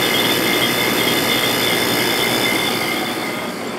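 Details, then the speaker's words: Sharp 8500/10500 BTU window air conditioner shortly after start-up: steady high-pitched ringing tones over the unit's hiss, which always occurs at start-up while a line frosts up, then quiets down; cause undetermined. "and it's making that ringing noise that it always does shortly after start up."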